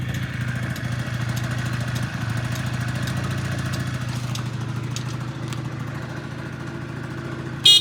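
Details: Honda Dio 34 two-stroke scooter after repair (needle bearing, fuel filter, exhaust gasket replaced) for crackling and knocking under throttle: even, buzzy idle with a steady beat and no knocking or rattle.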